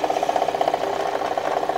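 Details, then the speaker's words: Kia with engine recently replaced under recall, knocking again about a month later; microphone held close at the water pump: steady mid-pitched whirring with fast even flutter; worn water pump bearing. "from what we see the water pump is making a lot more noise there's a bearing inside that drives the water pump pulley um they often go bad it's very common"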